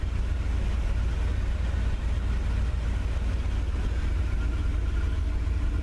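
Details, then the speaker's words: 1978 Corvette Silver Anniversary, L82 V8, automatic, after sitting four months, about 60°F day: revved at 1500 rpm then brought down to a deep, steady even idle about 800 rpm, no knocks or misses; oil pressure just under 40, temperature about 160; normal idle. "she's running right now at 1500 I'll take it down there we go it's idling at about 800"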